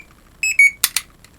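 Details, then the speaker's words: A firefighter PASS alarm (MSA Firefly 2 among those shown), bought at a hamfest, gives three short shrill beeps around 2.4 kHz, then sharp clicks. It works after battery and contact replacement and is rated 95 dB at 10 ft. "then there's the onoff switch which just simply actuates a pair of uh switches on the PCB by means of a couple of rubber membrane switches is probably going to be a bit loud"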